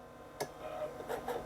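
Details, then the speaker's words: 1987 Zenith ZWL-183-93 XT-class laptop, rebooted after no hard drive spin-up was heard: faint whir with a handful of sharp quick clicks a fraction of a second apart as the old hard drive spins up and seeks, two drive activity lights on. "and seeking. We've got 2 drive activity lights come on."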